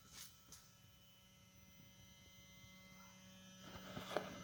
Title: Wv Golf mk6 1.4 90kw 155K CAXA DQ200 - humming sound from mechatronics, ignition on, engine off.